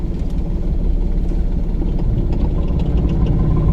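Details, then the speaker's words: Manual car in first gear, clutch held at biting point with light accelerator while pulling away: deep lumpy engine drone grows gradually louder as clutch takes up; normal engine load at biting point. "Accelerator ఇచ్చి sound వస్తుంది, ఆ sound వచ్చినా continue అట్లనే accelerator continue చేయాలి."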